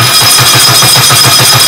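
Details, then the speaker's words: Rebuilt 1380cc Sprite/Midget race engine on test stand, cold day, timing set near 12 degrees, fitted with Speedwell replacement starter; strong, even cranking at about four to five pulses a second, no slipping or disengagement; old starter used to jump out under compression, new one fine. "so yeah by now the starter used to just when it ran into compression it would jump out of engagement and the Spragg gear would sort of allow it to spin backwards and it no problems with the starter"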